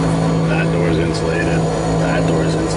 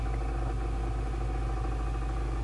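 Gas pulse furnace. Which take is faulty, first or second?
second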